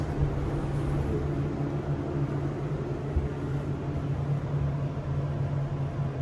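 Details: SEIM screw pump in machine room of elevator modernized a few months earlier, replacing old Dover: steady deep loud drone with coarse rumble beneath; pump very noisy, cause not evident.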